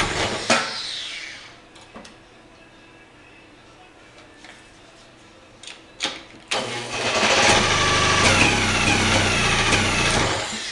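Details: 1937 Johnson KA-37 9.3 hp outboard, repeated pull-start cranking that turns over but never catches despite new rings, good magneto, acceptable compression; magneto swapped from a running KS-14 with no change; owner suspects rotary valve crankshaft center rings not sealing.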